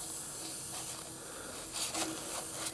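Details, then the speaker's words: FORTE ZA65/50 air compressor after two years of moderate use: steady high airy hiss of compressed air escaping around the valve while building pressure. The leak was fixed by simply tightening a nut. "ну навіть без мильної води тут навіть відчувається що от десь отут нас почало травити і настільки травить що просто"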